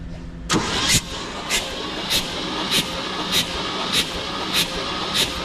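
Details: 1971 Chevy K-20 after 15 years sitting, cranking without spark plugs to build oil pressure (reached 60 then about 45 PSI): even starter cranking, regular swishing pulses about every half second, no knocks or grinding; turns over freely, normal.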